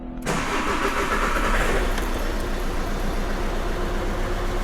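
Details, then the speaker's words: Audi A1 diesel, drastically down on power, with the engine management light on and glow plug light flashing: after the starter catches it settles into a lumpy, uneven clatter with a wavering beat. It runs rough, felt through the car. "You can already feel it's running rough. You can feel it through the car."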